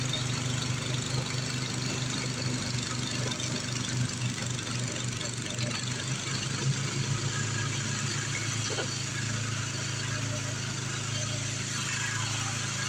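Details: Craftsman 826 track drive snowblower after auger belt replacement (31-inch belt), refuelled, throwing snow; steady single-cylinder drone at even pitch, no surging or belt slipping; normal running under load.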